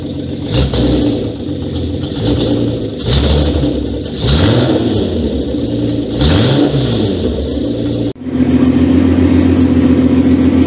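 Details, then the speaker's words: Renault 5 Maxi replica engine's first start after a year's build, temporary wiring, water pump fitted, no exhaust: loud raw revs rising and falling, then a steady even idle; runs clean, no leaks, normal. "Désolé pour le son. Et là je suis en échappement libre. Donc forcément elle fait du bruit hein. Tout est nickel, il n'y a pas de fuite."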